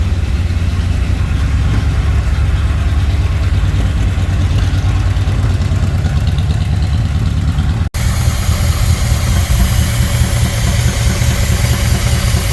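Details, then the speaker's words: 1964 Ford Thunderbird after stuck-valve repair and top-end rebuild, idling on old oil as the oil pressure comes up. A low, even rumble with no clicky valvetrain clatter; sounds really nice under the hood. "not sure but it sounds really nice under the hood not getting a bunch of clicky clutter it's coming up oh yeah"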